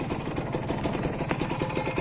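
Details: Kawasaki Ninja RR two-stroke motorcycle, engine sound when bought: crisp rapid idle with steady light rattle, no odd knocks or squeals, dry and clean; owner says it has since become rougher.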